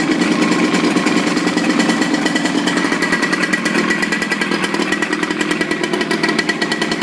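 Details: Evinrude 55 outboard running in a water container after throttle cable adjustment: steady buzzy two-stroke run with even firing and splashy water background; clean, no misses or knocks, no problem with the engine.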